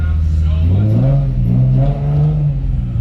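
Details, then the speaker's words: Nissan 350Z fired up after a new Y-pipe was installed: the engine revs smoothly, with a deep, even exhaust note rising and settling and no ticking or puffing. It sounds much better, as it's supposed to; a normal exhaust note. "Wow. That sounds so much better. That is way better. That's what this is supposed to sound like."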